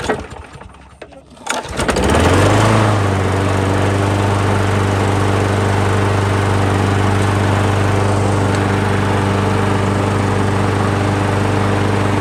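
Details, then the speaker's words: Craftsman 21-inch push mower, oil checked clean, fresh gas: it catches after a couple of seconds and settles into a steady, even drone with no surging or misfires. Runs really smooth. "runs really smooth and just to clean it up and get it ready"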